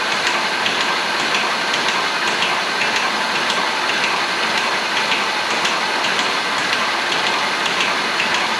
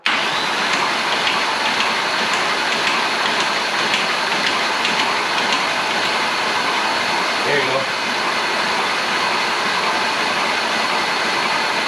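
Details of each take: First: Engine first spun over, cranked to cycle oil: a light rhythmic metallic rattle about twice a second that stops once oil pressure fills the new timing chain tensioner, which had air trapped in it; timing chain rattle from an unprimed tensioner. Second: Engine cranking after a new timing chain tensioner was fitted: steady, even starter whir with a faint whine. Slight chain noise at first faded as oil cycling worked the air out of the tensioner, so no chain rattle now.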